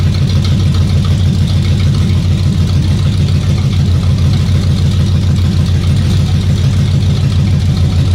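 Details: 454 big-block (7.4L) V8 in a 1974 Nova, over 37,000 miles, on its last run before removal: deep, even burble picking up cleanly on each throttle blip, no stumble or misfire; healthy.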